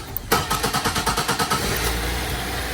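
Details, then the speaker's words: 2005 Cadillac CTS that won't crank from the key, started by bridging the starter relay in the under-hood fuse box with the ignition on: brisk, even cranking for about a second, then it fires and settles to idle. "I know it's running. You can hear it, guys. So now it's running."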